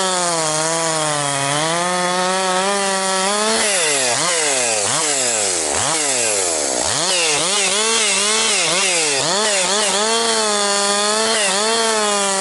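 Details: Husqvarna 262XP chainsaw after rebuild, breaking in bucking dry, dusty pine firewood; compression up, really woke up over last couple tanks. High two-stroke scream at full throttle dips as chain loads and snaps back; healthy, normal cutting.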